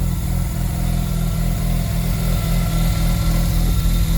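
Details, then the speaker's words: Mazda RX-7 Turbo II rotary after a mid-winter start from three months of storage: idle around 1350–1400 rpm rises and sags unevenly and never settles; idle hunting, owner suspects a failed idle control device and cannot adjust the throttle sensor without a laptop. "See, now it's going to hunt a lot though. That's the problem with these things. Yeah, it's going to sound like that. And the idle's more correct, but do you see that hunting? I think this device is kaputs."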